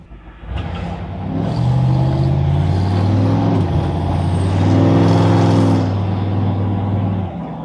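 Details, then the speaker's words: 1967 Chevy C10 small-block with Edelbrock ProFlow EFI, newly retuned and timing set, doing self-learn: deep loping V8 burble swelling as it pulls away, choppy and lumpy from true dual exhaust with no crossover pipe. "and yeah I think this thing would sound completely different if it had a crossover tube to equalize the pulses it sounds like you know you went and took whatever with a small block Chevy and threw two true duels on it with no uh no crossover"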